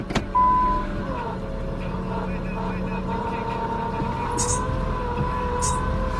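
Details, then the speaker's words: 2000 Nissan Maxima after the idle air control valve was replaced for code P0505, idling about 800: a steady pulley whine over a smooth idle. The power steering pump was suspected, but the pitch didn't change, so the source is undiagnosed. "huh that might not be the power steering pump making noise up there cuz it should have changed the pitch of that noise so we got to diagnose that one day"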